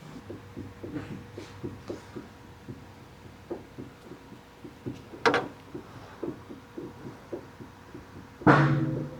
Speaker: So that is the inner tie rods actually that are making that noise. They're just clunking back and forth. mainly just on the one side.